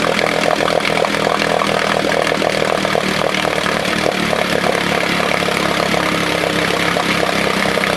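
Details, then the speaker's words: 1968 Johnson 6 hp outboard running: loud, fast, raspy two-stroke buzz with rattly mechanical clatter; noise traced to a part held by hand, not under the flywheel as first thought. "Yeah, you probably saw me hold this. This is what's making the noise. Before, we thought there was something under the flywheel making that noise."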